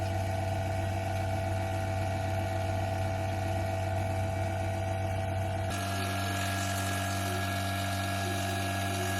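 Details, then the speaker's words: Vacuum pump evacuating a DIY-installed split heat pump through a manifold: steady low drone, then the note deepens and roughens as the valve is opened and it draws air; it cannot suck with the valve closed. "It is open, and if I close this, then it cannot suck. But if I open it, then it will take air, and you hear the"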